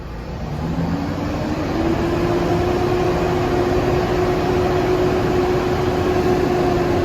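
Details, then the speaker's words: Ford V8 held at 1800 rpm, stumbling unevenly from a dead misfire on cylinder 4 (passenger side, rear); the misfire persists above idle and gets worse under load. "At 1800 RPMs, it does not go away. Okay, let's put it under a load. Under a load, it gets way worse."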